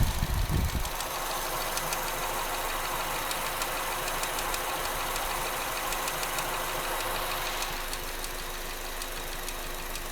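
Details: 2014 Opel Astra GTC at idle: light, quick engine ticking, roughly three per second, over a steady idle; source unclear.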